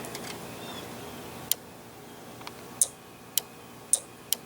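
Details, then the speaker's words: 1982 Camaro horn relay, bench-tested with battery and bulb: sharp single click each time terminal B is grounded, bulb lights; normal relay click. "can hear it click light goes so the relay worked"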